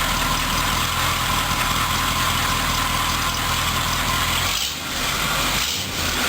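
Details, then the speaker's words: 1976 Corvette V8 project: even low idle rumble, no stumbles or ticking through hissy background; runs much smoother and healthy. "all right as you can see she runs a lot smoother um and you know should just sit there and idle L as long as you want her"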